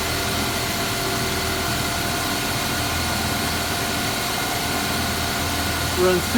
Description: Starts at initial high idle when dead cold, then goes down to second high idle, then when warmed sufficiently goes to full temp speed of 800RPM